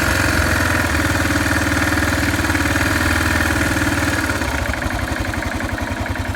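Single-cylinder thumping at about four beats per second with a rattly mechanical clatter over it at cold idle; the cause is unclear.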